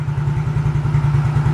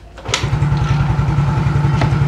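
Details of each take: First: Older Yamaha X-Ride scooter with MIL code 46, sputtering then stalling: idle pulses unevenly with a lumpy, wavering beat and the lights flicker; weak, unstable battery voltage is starving the fuel injection. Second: Older-type Yamaha X-Ride that had been stumbling then dying with MIL code 46 (low supply power to injection), after fitting a new original part: starter catches quickly, then steady even idle with no misses or stalling; normal start and idle.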